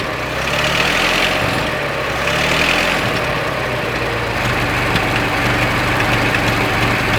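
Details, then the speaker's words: 1926 Ford Model T four-cylinder after tightening the muffler underneath: busy but even chuffing idle with some rattle, no leak puffs or misfires; doesn't sound bad at all, normal idle. "doesn't sound bad at all. You No, know that's fine."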